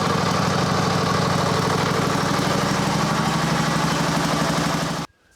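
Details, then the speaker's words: Cub Cadet LT1550 riding mower after no-start repair, Seafoam, fresh oil and filter: steady, even single-cylinder beat holding smoothly until shutoff, running better the longer it runs. "well I think we've got this one beat longer it runs the better it runs so that se home is doing its job"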